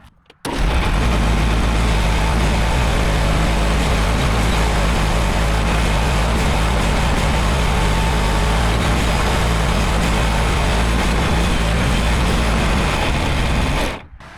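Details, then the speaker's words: John Deere 410 backhoe loader after final repairs: a steady diesel drone at constant revs with no groaning or creaking from the joints. It previously made embarrassing noises; now it runs smooth and normal. "That is so much happier. I didn't even film the noises it was making before cuz it was so embarrassing."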